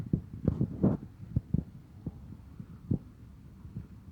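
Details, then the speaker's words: Massey Ferguson 35 tractor diesel running rough with heavy, uneven low thumps, a bad engine knock; teardown found one cylinder sleeve broken and a suspected balance weight piece in the sump, so it ran on two cylinders. "welcome back to the channel here is a master Ferguson 35 with a bad engine knock"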